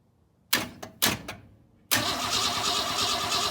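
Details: 1962 Ford Falcon inline engine, unrun 25 years, gas poured into the carb: two short starter bursts then long steady crank that never catches; cranks but won't start.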